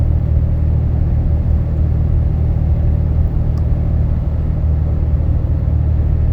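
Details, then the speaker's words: In-cab, windows up, AC on, 70 °F: 2012 Dodge Ram 6.7 L Cummins diesel, deleted (no muffler, DPF or cat, EGR delete), undumped 4-inch turboback, H&S Mini Max stock tune, cruise 60–62 mph: steady low rumble, no drone rising over road noise; sounds stock. "And just real quick, as you can tell, there's no drone. I mean, this sounds stock on the inside with the windows rolled up."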